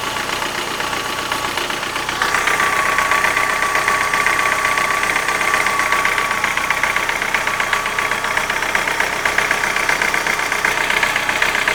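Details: Light, fairly quick tapping over warm-idle engine hum; started after hydraulic lifters were replaced, does not knock cold, cause still to be tracked down.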